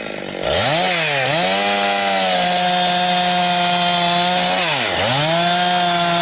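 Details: Husqvarna 362XP Special with wrong ignition coil and Walbro carb, cutting firewood: screams near 11,000 rpm then dips and stutters back, gargling, barely 10,000–10,500; fine near 9,000 rpm dogged in; four-stroking at wrong rev-limited coil's limit.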